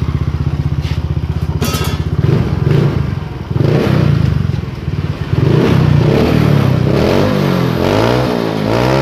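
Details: Yamaha Mio J after repair of hesitation (brebet) with MIL blinking 15 times and fault codes cleared by scanner: even putting idle about four beats a second, throttle blips rise and settle cleanly; steady.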